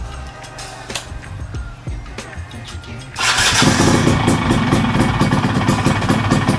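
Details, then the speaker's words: Yamaha F1ZR two-stroke with changed gear ratio and upgraded PE30 carburetor: starter whirr, then an even, steady burble. It runs much smoother after fixing the rough noise traced to the starter one-way clutch. Normal start. "Oke ternyata ini emang perkara tadi ya yang di bagian one way dan sekarang ini udah jauh lebih halus guys mantap"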